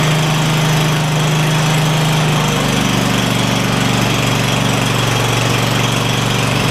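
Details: Craftsman DYS4500 lawn tractor, Kohler Courage V-twin, after swapping 12V ignition coil system to traditional coils and fitting a new spark plug: loud, even drone settling to a slightly different pitch, both cylinders firing steadily, no surging or dropouts.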